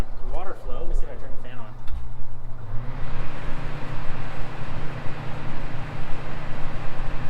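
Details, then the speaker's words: Cheap Porta A Cool evaporative cooler, tank just refilled with water, pump and fan switched on: steady, even fan rush with low hum, no rattle or surge; said not to work but runs fine, normal. "Yeah, well, that's awkward. It's working fine."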